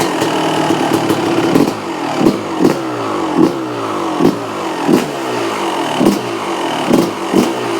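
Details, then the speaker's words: 1995 Honda CR250 two-stroke, crusty bike being restored, choke stuck and wound fully in so idle unset: uneven blips with sharp raspy puffing spit from an exhaust leak plus noise from the front; motor itself reasonably quiet. "Apart from the exhaust leak and everything coming from the front, the motor sounds reasonably quiet."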